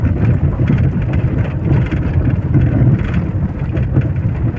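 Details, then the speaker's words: Mahindra XUV500 diesel, about 8 years old, driving over potholes: dull irregular thumps through heavy road rumble, knocking also felt in steering; worn strut and suspension bushings, full suspension to be opened. "Steering पकड़ने के दौरान भी मैं समझता हूँ कि वहाँ भी कंपन या खटखटाने की आवाज़ हो रहा है।"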